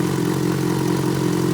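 Steady idle with a light, fast ticking riding over the engine note, not obviously changing; cause of the tick can't be pinned down.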